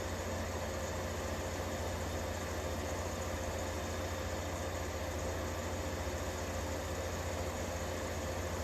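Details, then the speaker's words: 1953 Fedders Weather Bureau room air conditioner, serviced, with Tecumseh S-series 1/3 hp R12 compressor running. Steady even hum with a low pulsing drone and fan air, no knocks or rattles; compressor running smoothly, normal. "Just listen to some nice Tecumseh S-Series noise for a minute or two while I go get the watt meter. Because I'm very curious to see what it's actually putting out. Man, that sounds good."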